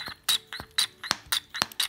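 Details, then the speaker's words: Echo string trimmer primer bulb base with good check (reed) valves, tested in water: sharp squeak about four per second with each pump stroke, squirting water; the non-working base makes no sound. "i'll show you on the good one you can hear a sound when you pump it"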